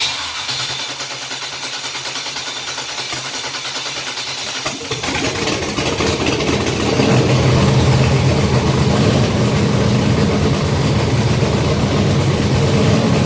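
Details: Junkyard GM LS 5.3 V8 first start on engine stand with FiTech Ultimate LS kit, 20 psi oil pressure, no coolant, short run; starter whir catching into firm even idle, no knocks or misses; normal start and idle.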